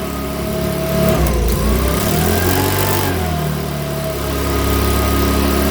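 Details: Makita BHX2500 four-stroke leaf blower, after valve clearance check, NGK plug sparking, airbox off: fires and runs but revs hunt and wander unevenly instead of settling; rough running, owner reckons it needs a new carburettor.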